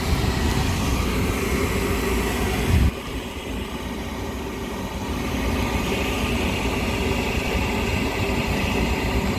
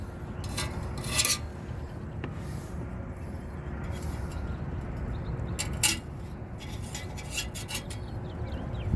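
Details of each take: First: Lennox rooftop gas heating unit right after heat exchanger replacement, heat call run from the controller's service test with supply air blocked off: steady, even roar of blower and burners, no rattles, bangs or surging; lighting and running normally. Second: Lennox rooftop unit heat exchanger, old unit removed for replacement: gritty loose rattling and clinks as the part is moved, rust flakes loose inside the rotted, pinholed exchanger with visible seam damage.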